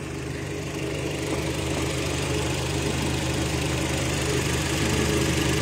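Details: Kia Rio at idle after computer box (ECU) repair; previously a no-start, with flasher, hazard, central lock and fog lights also lost. Steady, even low idle, no knocks, misses or hunting, smooth hum; the engine idles normally.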